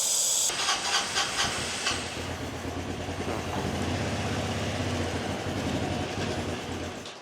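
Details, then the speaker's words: 1985 Honda Elite scooter, sat unused for an unknown time, started on starting fluid sprayed into the suspected airbox intake: spray hiss, then the small engine catches and chugs unevenly before dying; fuel delivery fault, possibly carb-related. "almost it almost runs it would appear that we do have a fuel deliver issue could be a could be carb related"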